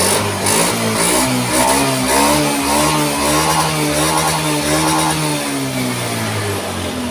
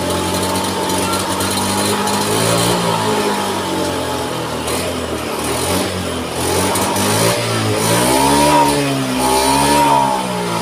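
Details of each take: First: Honda Scoopy scooter after repair of hard starting, stalling and sputtering; fuel pressure now about 4.5, near 50, so the fuel pump is good. It starts easily, and throttle blips rise and fall cleanly with no stumble, which is normal revving. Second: Honda Scoopy scooter, new battery fitted, starts but sputters and won't rev when throttle opened; engine note wavers and stumbles; fuel pump found weak, pressure not rising to the expected 40.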